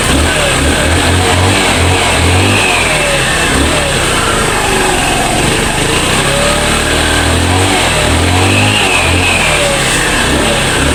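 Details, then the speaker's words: Motorstar Easy Ride 150 single-cylinder after fixing misfire caused by stale gasoline and fuel passage issue: steady run with smooth revs rising and falling, no stumbles or popping; misfire gone, running normally. "Ayun guys nawala na yung palya kasi palyado rin to eh"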